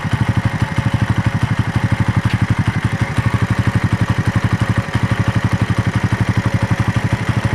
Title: My raider engine noise after long ride